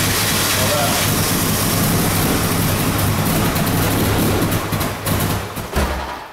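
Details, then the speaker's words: Toyota Camry after timing belt, water pump, idler and cam seal replacement, first start since towed in: catches and runs with a steady low hum and slightly rough edge, smoking, as it clears out after what is believed to be flooding from repeated start attempts. "I believe it was just so overwhelmed from trying to start it so much that it uh had itself flooded all out he's clearing up thank god"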